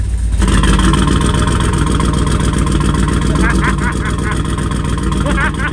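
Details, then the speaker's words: 2004 Chevy Colorado with a cammed 5.3L LS and a hidden turbo kit, first start. Lumpy, uneven revving with a loping exhaust pulse. Dead misfire on four cylinders because half the spark plug wires were unplugged. "oh it's running on four cylinders oh my gosh I don't have half the spark plugs plugged in"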